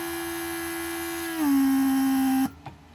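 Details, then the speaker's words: Rebuilt Mercedes W140 500SEL door lock (central locking) pump on bench with vacuum tank: removing plugged pipe creates vacuum leak, pump kicks on with steady electric whine, pitch settling lower as it pulls, then cuts off cleanly; normal operation. "this is just a vacuum and plugged up pipe as you can see if I remove it then I will create vacuum leak pump will activate"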